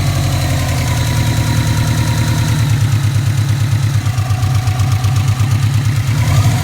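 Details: Subaru Impreza classic idling warm with a fast, light, regular tick in time with the engine. The bottom end was recently rebuilt but not the heads; the owner suspects the shimmed buckets or possibly rod knock. Cause unconfirmed.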